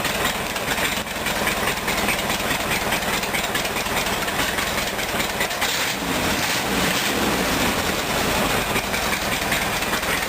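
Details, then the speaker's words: Rat rod engine now running after a clogged fuel filter was replaced with a temporary plastic diesel filter; steady, even idle with a constant hiss, no misses or stumbles, problem solved. "okay just to illustrate he's running now so I think problem solved"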